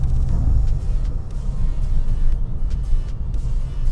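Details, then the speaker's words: About eight-year-old MK6 GTI with stiffened chassis, after installing ECS front and rear subframe locking collar kit: driving and decelerating with steady road rumble, no subframe clunk heard. "no none right now sorry for the blinker no i have noticed that as this has kind of been driven around a little bit the clunking has gotten less and less frequent"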